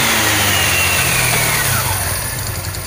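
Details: Rusi Gala SC125 GY6 scooter with a water-damaged gearbox, transmission noise repaired: the engine revs up and winds down smoothly with no rattle or scraping from the belt drive. Normal engine rev.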